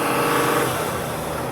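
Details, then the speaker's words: Mercedes-Benz GL 3.0L OM642 diesel with an intermittent crank-no-start and power loss, revved with a rushing hiss riding over the engine. A huge boost leak was found, which causes power loss. "We have a boost leak. Oh, do you hear that? Do you hear that hissing sound?"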